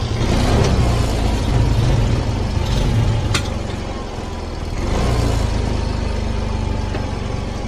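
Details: Yamaha Mio M3 fuel-injected scooter idling with a steady low putter after adjusting the slow screw two and a half turns back and centering the TPS; it had stalled, lacked power and would not idle. Faint background music. Normal idle.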